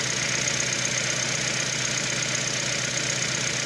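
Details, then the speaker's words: Nissan Versa with P0304 code (cylinder 4 misfire), losing power especially on acceleration, idling rough with an uneven pulse about four times a second and shaking; open coil or spark plug suspected. "All right, then. It does Here the vehicle is shaking up."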